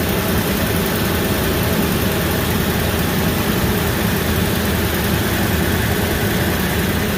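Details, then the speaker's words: Ford F250 Super Duty 5.4 V8 after replacing the cracked passenger exhaust manifold and broken stud: an exhaust leak heard at first quieted to a steady, even rumble with no ticking; normal idle. "quiet on this side I heard an exhaust leak to start with but it quieted right down"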